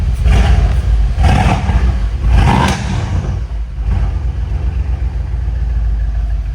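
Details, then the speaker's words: Donor Mercedes-AMG C63 S after refitting the throttle body: three quick throttle blips rise and fall cleanly, then a steady rumble; engine revs smooth. "Yo, that wasn't you? It's better. After that, it's better. Smooth as."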